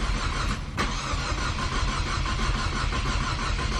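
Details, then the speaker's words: Big-turbo EcoBoost Mustang with aftermarket Nostrum high-pressure fuel pump: long slow uneven cranking with no catch; fuel pressure only 122 versus 1600 required, crank no-start. "okay first try let's see if it starts i don't think it will fit see as you guys can see it requires 1600 pressure but we're only getting 122."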